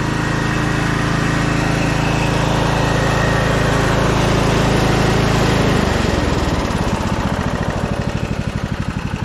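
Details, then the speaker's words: Scotts 15/42 lawn tractor single-cylinder engine with six-speed transmission: holds steady high revs then settles smoothly into an even idle, no stumbles; runs, drives and idles smooth. "oh runs great runs and drives six-speed transmission works"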